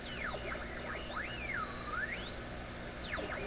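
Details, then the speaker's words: PYE 39HC shortwave valve receiver on AM band with regular antenna, volume turned way up: whistling tones swooping about 1–4 kHz over faint hiss; heterodyne whistle in audio output, suggested possibly from gassy output tube, unconfirmed. "Only there when the volume goes way up. there's all that heterodyne."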